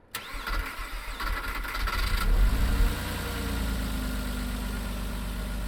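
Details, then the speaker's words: Neglected 1998 Porsche Boxster 986 just started after standing, old fuel: cranks, catches, then uneven lumpy stumbling idle, heavy oily exhaust smoke; owner suspects worn piston rings; rough running. "the piston rings are completely gone it's running really rough as well"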